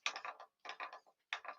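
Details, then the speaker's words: Woodturned Pandora box with secret compartments, held between centres: three quick bursts of dry, uneven clicks as the revolving sections turn, catching because they aren't lined up; sounds better once realigned. "that sound tells me that something's not quite lined up that sounds better"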